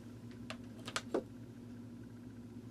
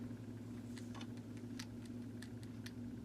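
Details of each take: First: Vintage Sears variable timer, model 796.66400 (Intermatic D111 type), after replacing the disintegrated main drive gear: faint steady motor hum with a few light clicks; starts without problem and runs normally. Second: Vintage Sears variable timer model 796.66400 (Intermatic D111 type) plugged in, faint motor hum with sharp irregular clicking as the disintegrated main drive gear with missing teeth slips; worn drive gear, needs replacing.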